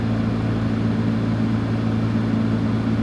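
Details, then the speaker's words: Aging car HVAC blower: a steady low droning hum that does not change when switching between fresh and recirculated air, which rules out an intake restriction; a worn blower motor. "You notice there wasn't any difference in noise. So that pretty much proves it's just an old worn blower motor."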